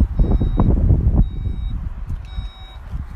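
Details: Skoda Kodiaq Sportline power tailgate opened by press-and-hold of the boot button: three short high-pitched beeps over a low motor hum as the tailgate lifts; normal operation.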